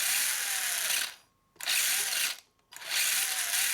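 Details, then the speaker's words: 1983 Tamiya Subaru Brat RC car after the worn mechanical speed controller was replaced with an electronic ESC and the motor upgraded: a smooth high whine spins up, holds, then stops cleanly when the stick is pulled back to brake. It works normally. "Just pull back on this stick down and the wheel should stop. So there they go there. I pull back, they stop, and let's go forward."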